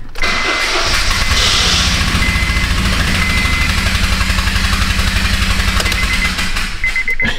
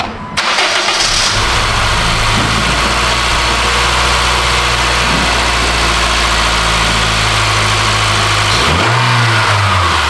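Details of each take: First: 2009 Honda Fit 1.5, 161 on the clock, towed in: engine runs with a loud, fast, raspy puffing tick on every firing, like an open exhaust leak, from a spark plug that unscrewed and blew out of the head. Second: 2009 Honda Fit 1.5 (manual) after repairing spark plug threads where a plug had blown out: catches quickly and settles into a steady, even idle with clean blips, no ticking or puffing, all cylinders firing; easy fix.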